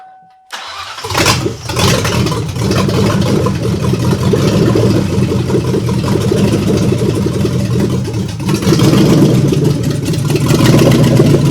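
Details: 1997 Mustang after PI engine swap, first start with no exhaust installed and coolant not yet bled: brief crank, then catches and settles into a loud, open, steady rumble with no knocks or misses; V8 runs healthy.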